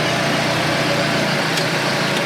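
Even, steady idle with a busy, hissy buzz over a light low end and no stumbles or surging; the outboard is idling normally.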